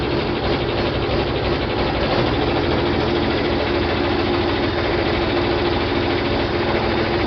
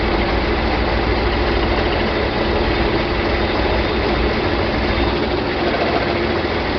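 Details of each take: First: John Deere 4020 diesel tractor first started in park after clutch replacement and split reassembly: steady idle at about 1,000 rpm with a slightly rough edge, still a little smoky; oil pressure light out, normal idle. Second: John Deere 4020 diesel tractor just restarted after clutch replacement and split reassembly, idling at about 1,000 rpm in park, a little smoky: low steady roar with uneven, choppy beat while air is worked out of the hydraulics; rough running.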